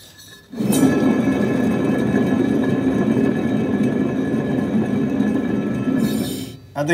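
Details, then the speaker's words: Bad Boy Maverick zero-turn mower deck with belt removed: one hand-spun spindle gives a gritty, rumbling growl for about six seconds as it coasts, a worn bearing needing replacement. "pretty obvious um this one's making a lot of noise and it definitely needs to be replaced"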